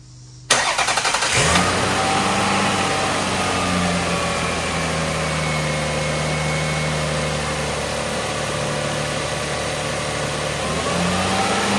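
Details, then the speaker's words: Toyota 1MZ V6 in a project Lexus ES, just after an oil change (5 quarts, at the full line): starter catches quickly, then a smooth, even idle with no knocks or misses; spilled oil burning off. "You would be hard-pressed to find a V6 smoother than the Toyota 1MZ."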